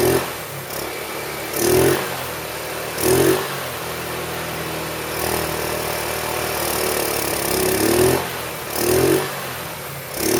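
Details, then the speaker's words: 2008 Roketa Sicily 150 scooter, rough runner, after an incorrect spark plug was found and replaced: steady idle with repeated quick throttle blips rising and falling cleanly; now running really well, though the owner notes it runs slightly lean. "actually running really well now so the next thing I'm going to do um I noticed it is running just a little bit lean"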